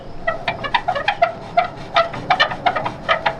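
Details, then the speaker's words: Lifted Lexus GX470 worn upper control arm worked by hand: sharp, uneven chirping squeaks about three per second; ball joint torn and dry, arms replaced. "And then these things just make a lot of noise. Like, they are super squeaky."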